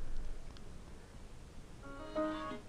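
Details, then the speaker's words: Samsung LE40B652 LCD TV (T-con 2009FA7M4C4LV0.9) at power-up: a quiet startup melody breaks off after under a second and repeats until unplugged. The set is stuck in a boot loop and is not completing startup. "listen carefully to start Melody notice how it doesn't seem to complete the melody and it will repeat"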